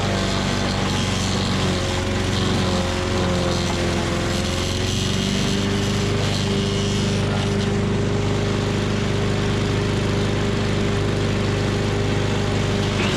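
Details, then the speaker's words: Tecumseh 5.5 hp engine on a yard-sale MTD Yard Machines chipper/shredder, after carb cleaning: steady drone sags in pitch midway as a two-inch branch loads it, nearly stalling, then holds on and keeps chipping. "all right well that was pretty awesome uh about stalled it out there on it was like a two inch branch normally these things are rated at like two to three inch branches"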